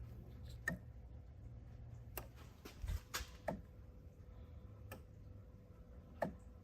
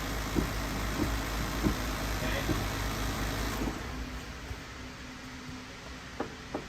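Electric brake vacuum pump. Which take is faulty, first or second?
first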